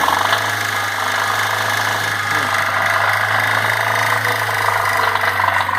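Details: Chery Cielo 1.6 16v with noise above 3000 rpm, held at high revs: steady drone with a faint knock underneath, pointing to worn bottom-end bearings from neglected oil changes.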